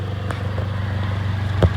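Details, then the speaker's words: 2006 Honda Accord 2.4L four-cylinder idling: steady low rumble with faint rapid puffing from an exhaust leak where a metal rod welded on for catalytic converter safety has broken/cracked; may need exhaust dropped to reweld. "uh Honda Accord 4 cylinder has exhaust leak"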